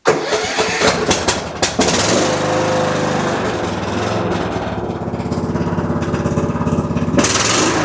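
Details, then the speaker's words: Husqvarna riding tractor with a Kohler engine, started on choke after carburetor cleaning and fuel line work; a few cranks, then a steady, even run under a loud, raspy, noisy muffler, running normally. "All right, other than being a really noisy muffler, the carburetor feels like it's already, I mean, it sounded pretty good."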